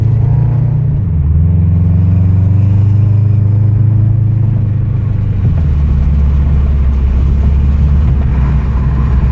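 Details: Recorded inside the car: heavy, low droning rumble from an exhaust leak, swelling as the engine revs.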